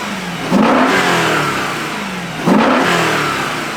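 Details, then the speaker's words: Rebuilt S65 V8 in a 2011 BMW E92 M3, previously blown, with BE rod bearings at extra clearance, after 1,000 km of running-in: two sharp clean blips climb quickly and fall smoothly back to idle with no rattle or knock; normal revving. "And here's what the engine sounds like after 1,000 km. It's mint. We got it a bit dirty, but the engine sounds wonderful. Smooth as silk."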